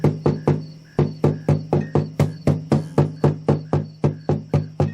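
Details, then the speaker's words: Low guitar note picked about four times a second rattles and buzzes on a 75-year-old 1941 Kay-built Silvertone Artist, cracked from dryness; a loose internal brace/bass bar hanging from the top vibrates against it. "That rattling, buzzy, fuzzy sound. That is a loose brace."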